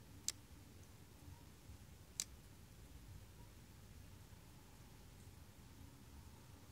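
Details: 2007 Honda Rancher 420 ATV won't start; two sharp single clicks about two seconds apart from the starter solenoid with no cranking.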